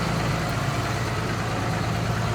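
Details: F550 with a 5.9 Cummins common-rail swap and a new FASS lift pump, after a fix, at high idle holding 15 psi fuel pressure: smooth, even diesel clatter with no buzzing underneath; the lift pump sounds healthy.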